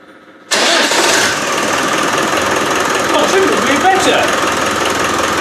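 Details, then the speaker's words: Land Rover Defender 110 300Tdi diesel after fitting electric fuel pump for hard starting, rebuilt starter: catches almost instantly from cold into steady even clatter, no misfire or hunting; healthy start, no back pressure. "the start has made a big difference because that's new now it's been rebuilt got a better charger on it uh yeah it goes well"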